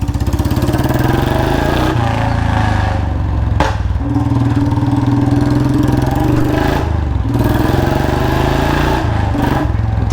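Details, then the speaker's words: Royal Enfield Bullet Standard 350 single-cylinder: steady thump with a sharp puffing chuff at each beat from a slight leak at the front exhaust header pipe joint, before a new packing gasket is fitted. Exhaust leak at header pipe joint. "भाई तो यार मैं कह रहा था इसके जो pipe है ना आगे पाइप प हल्की सी आवाज लीकेज हो रही है इसलिए प्रॉपर आवाज नहीं आ पा रही है"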